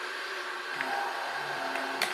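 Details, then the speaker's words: Budget mini video projector running a Raspberry Pi game: a constant airy whoosh with a faint steady whine throughout; the cooling fan blows very loudly, its main flaw. "donc vous pouvez l'entendre surtout le premier défaut c'est surtout le bruit du du ventilateur ça souffle très fort"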